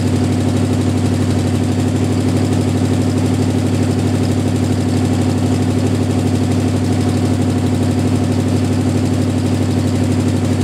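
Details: Jeep M715 army truck converted from fuel injection to carburetor: even, steady low idle with constant beat, no misses or knocks; normal idle.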